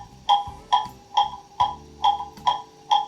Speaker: you can hear it getting into beat and there it is that's in beat